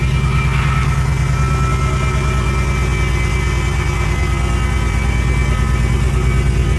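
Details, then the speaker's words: 2014 Jeep SRT8 after a broken valve spring was replaced: a deep, steady V8 idle with an even beat and no skips, with some smoke, likely residual oil. Normal idle, misfire fixed. "well it's running and it ain't missing so we fixed one problem"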